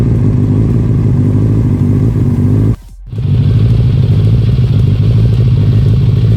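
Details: 1996 Suzuki Katana 600 sport bike bought cheap as a project: starts up and runs really good, strong even engine note with a brief dropout, steady, no knocks or misses; normal healthy running.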